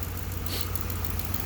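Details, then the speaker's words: 2008 Ford Explorer 4.6 V8 idling in the cold: low, uneven pulse from a constant misfire on cylinder seven; compression and coil firing checked fine. "i got an 08 ford explorer 4.6 with a misfire on cylinder seven cylinder seven and it's constant"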